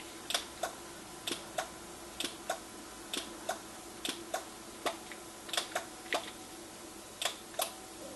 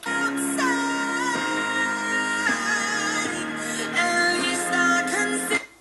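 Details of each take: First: NuTone IMA4406 intercom master station on the bench, intercom volume at maximum with one remote station: sharp dry clicks about every half second over a faint hum as the audio/intercom direction relays chatter. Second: NuTone IMA4406 intercom master station after servicing; it had a failing amplifier and power supply causing low volume and distortion. At volume between 9 and 10 o'clock, the music plays clean and steady with no crackle, dropouts or fluctuation.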